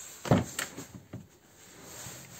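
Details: VAZ Lada Kalina door after replacing the worn door check strap that knocked over bumps: a few soft detent clicks as the door swings open, no knock or clunk; door check holds positions normally.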